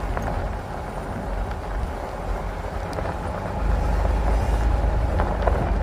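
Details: Pickup truck (owner compares to Ford/RAM) with camera mounted at the rear, rolling slowly through a roundabout circle: low even rumble, no squeak or creak from the rear springs; the earlier rear noise seems gone or much reduced.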